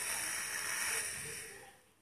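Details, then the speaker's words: Pressurized firing (discharge) valve leaking air at its seat: a steady, sharp hiss fades over two seconds to a faint trickle as the pin is rotated with pliers to find the position where it seals best. "Mas eu vou mudar de posição. Aí, ó. Tá vazando, tá vendo, galera?"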